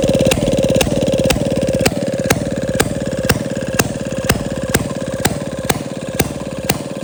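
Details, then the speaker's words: 1937 Maytag Model 92 single-cylinder two-stroke, bolted to 2x4s, after gas tank and mixer cleaning: crisp evenly spaced firing pops about two per second with a steady chuff between; running clean and healthy. "I appreciate you guys coming back to the garage to check out this model 92 MagG 1937. It runs and it runs really well. It uh it didn't fight me at all."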